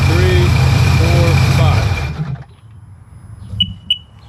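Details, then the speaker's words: 2005 Sea-Doo GTX idles for two seconds with a low steady burble, then shuts off; running again after hydrolock and burning off water, with the watery oil still to be changed. "I thought this thing was toast it still might be toast but as of right now it's not"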